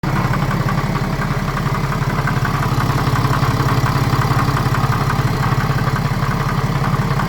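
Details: BMW N57 diesel with new crank and rod bearings, timing chain, belt tensioner and idler pulley: steady low clatter with a regular pulse near three per second at idle; the knock comes and goes suddenly, only at idle, cause unknown.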